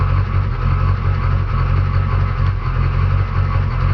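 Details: Truck engine, low idle with uneven loping pulse and beats that come and go; rough idle, cause not pinned down, a new fuel pressure regulator suggested but unconfirmed.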